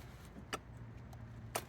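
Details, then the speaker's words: Clearstream septic aerator pump, blowing into the pressure-sensor hose: two sharp, crisp clicks about a second apart over a faint hum as the red light goes off; the pressure switch works. "the red light up top turns off I can hear the pressure switch click so pressure switch is working right"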